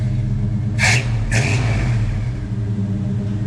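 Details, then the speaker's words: Healthy V8 in an old truck: full-throttle test drive after an engine install and new exhaust replacing rotted mufflers and tailpipe. Deep, steady rumble pulls evenly with no knocks, misses or rattles; the old throttle bodies are at their limit. "Sounds healthy. Right on. It's about all the old throttle bodies have right there. That was full throttle."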